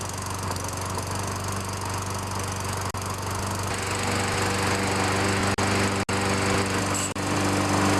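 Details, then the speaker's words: Toro self-propelled mower, 6.5 hp Tecumseh engine, after carburetor cleaning, a new spark plug and fresh gas. A steady, even drone with a few brief dips. Normal running; the fault was a bad plug plus old fuel. "so it Run's pretty good now what I I think it was was a combination of a bad spark plug and old Fuel"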